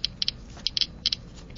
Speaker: again we'll start trying to block the gamma rays by inserting four sheets of paper as shown the clicking has not changed paper does not block gamma rays